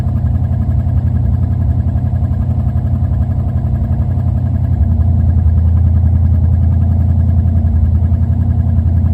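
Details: Low, uneven idle beat that wobbles and lumps rather than running smooth, rising slightly midway; engine is idling rough.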